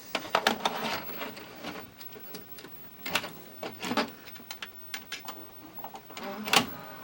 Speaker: Yep, kicks it. It'll kick it out. Yeah, it's definitely laboring, and it tries to pull it in.